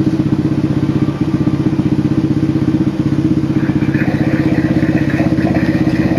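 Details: Old motorcycle engine after replacing the crank, its bearing and the piston: even, regular exhaust beat about four pulses a second, no knocks or rattles; bottom end runs clean. Normal running.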